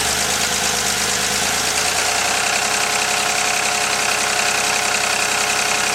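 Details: 1983 Porsche 911 SC, stock 3.0 air-cooled flat-six at idle: light, fairly regular tapping about two to three per second; owner fears rod knock, cause unconfirmed.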